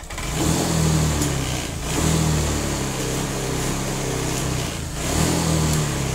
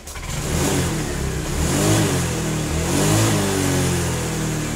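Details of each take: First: Honda Vario 125/150/160 injection scooter, throttle blips swell slowly and sag rather than snapping up, lazy delayed pickup that is dangerous when overtaking; hesitation caused by a misadjusted TPS (throttle position sensor). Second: Honda Vario fuel-injected scooter (125/150/160) being repaired for slow, delayed throttle response: after the fix, pitch climbs and falls smoothly with each throttle blip, no stumble or hesitation; engine speed now follows the throttle in rhythm.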